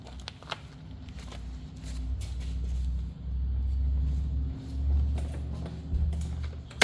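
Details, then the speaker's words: Troy-Bilt TB320 push mower with Briggs & Stratton 150cc engine, before tune-up: engine speed swells and sags every few seconds, a surging, hunting idle; it bogs and sometimes dies under grass load. Cause suspected, tune-up expected to fix. "all right so you may or may not have heard it but it does kind of go up and then down and up and down so uh we're hoping that this will fix it"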